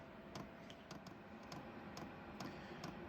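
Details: Diesel heater starting at about 35°F, heating a canopy tent: soft, sharp ticks a couple of times a second as the fuel pump pulses while the heater primes before lighting. Normal.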